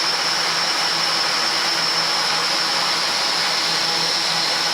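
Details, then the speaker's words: Litehawk Quattro RC drone at full throttle after resetting two pinions that sat too high and oiling pinion-gear mesh with 30-weight non-detergent oil: smooth steady high whir, no grinding; gear noise about 95% cured. "And we'll go full throttle. So that's actually a pretty respectable sound out of it."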